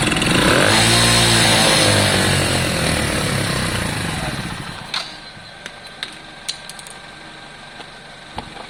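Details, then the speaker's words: Lexmoto Valiant 125 converted from fuel injection to carburettor, running out fuel: revved high, revs hang and sag slowly instead of dropping cleanly, then dies with clicks; carb not yet set up. "At the moment the carb's a bit all over the place. Alright, I'm going to let you hear how beastly this is, but at the moment it's not smooth. It's hanging on its revs, etc."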